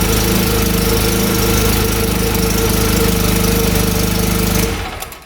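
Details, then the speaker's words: 2014 Polaris RZR 800 UTV bought rough, run with the drive belt removed to rule out the transmission: steady, even engine drone with a regular beat, no rubbing or scraping; runs clean, sounds much better. "That sounds a little better, [Music] huh? That sounds much better."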